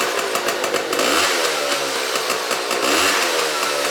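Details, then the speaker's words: Restored 1991 Honda Cub EZ90 two-stroke, carb rebuilt with jet and seal kit, Boyesen reeds, no chain fitted, secondary muffler removed: crisp buzzing rap as throttle is blipped up and down, picking up cleanly without bogging; runs healthy. "This sounds good, man. This is without like the secondary muffler right here."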